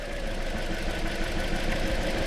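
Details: 2013 Toyota Corolla with a year-long intermittent misfire despite plugs, coils and injectors reportedly replaced: mostly even idle with an occasional stumble while the scope watches the coil IGF signals.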